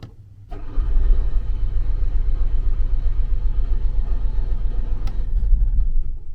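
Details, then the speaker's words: RV generator being exercised, after priming with a seven count: long, steady cranking at about four turns a second with one brief sharper catch near the end, which the owner says means it is getting close; hard starting. "So like I said, you might have to do this a few times. Did you hear that little catch? That tells me it's getting close."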